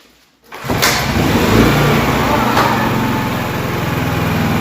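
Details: Honda EB3500X generator after a fix for a stuck-open part: it catches within a second on full choke and settles into an even, steady drone with no knocks or misses. Healthy, unloaded.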